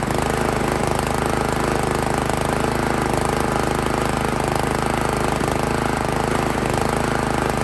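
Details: Made-in-Italy Workman 2 Multimixer cement mixer, Honda GX160 single-cylinder, owned about 15 years, started on choke while adjusting the idle screw: chugs unevenly and won't settle into idle; rough running from tight intake and exhaust valve clearance.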